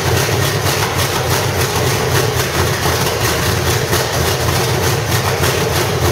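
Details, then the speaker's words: 1985 Chevrolet Stepside with cammed V8 (claimed 400 hp Corvette motor), roller rockers and open headers, gummed-up old carburetor: loud raspy even idle with slight cam lope, sounding healthy. "that old carburetor is uh you know pretty gummed up and stuff so you know it took a little bit to get the gas flowing through there but definitely sounds good"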